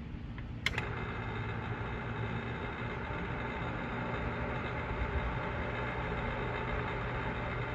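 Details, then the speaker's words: Newly installed pool pump and motor, first start after filling the skimmer basket to prime: sharp start after a quiet moment, then steady even motor hum with low drone, no rattles; pump runs healthy. "Alright, here we go to test the new installation of the pool pump and motor."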